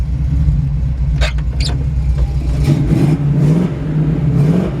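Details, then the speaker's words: 1949 Ford F1 shortbed with 350 V8 and 350 Turbo automatic, temperature at 180: idle rises and falls unevenly, hunting; idle surge, carburetor or timing suspected to need dialing in, not confirmed. "Definitely sounds like that carburetor needs to be dialed in."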